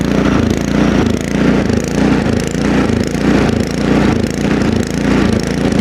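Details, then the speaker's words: Ariens two-stage snowblower with LCT 254cc single-cylinder engine, just started with prime and choke at about 20°F outdoors, speeds up and sags steadily about every half second, never settling; surging, typically from running lean, a carburetor fuel problem. "when an engine surges like that, typically the problem is, well, let's start with this. It's a fuel problem. It's running lean somehow."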